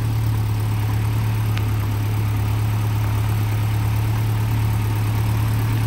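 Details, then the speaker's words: Land Rover Series 2¼ petrol engine after valve stem seal replacement and valve overhaul, just started from cold: steady low idle, deep even hum, no knocks or misses, barely lumpy from cold as these can be; normal idle. "pleased with how that sounds sounds nice started off from coal they can be a bit Lumpy from cold sometimes"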